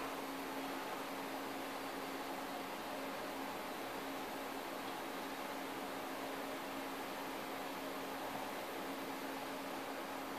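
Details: Dell Dimension XPS D233 DOS computer, cold start after more than a year in storage: the hard drive spins up with a steady low hum under smooth fan hiss, runs evenly, and is detected; sounds healthy.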